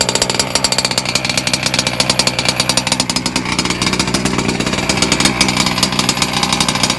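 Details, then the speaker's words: Two-stroke motor being run in, set really rich, drinking fuel, thirstier: high buzzy wail running steadily with slightly burbling uneven edge, rich break-in running. "It seems to be thirstier. I have it really rich as well, so alright, let's fire the sucker up again."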